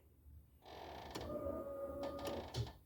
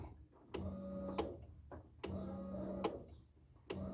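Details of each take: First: 1987–96 Ford F-150 after a carburetor swap, fuel pump still on the factory relay wiring: at key-on a thin electric whir runs for about a second and then cuts out; the fuel pump only primes briefly. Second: 1987–96 Ford F-150 after a carb swap with factory fuel pumps rewired: sharp fuel pump relay clicks in pairs on each key cycle, about every 1.5 seconds, with a short pump hum between them; relay working properly.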